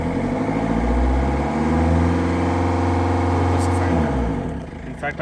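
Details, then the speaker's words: Ford Figo diesel with no pickup and a blinking powertrain light: catches and holds a lumpy, uneven beat, then labours and sags at full accelerator; misfire from cylinder 2 injector circuit open/short, with MAF and rail pressure codes. "we go you can see there is a misfiring as well as our transmission control mode is blinking as well"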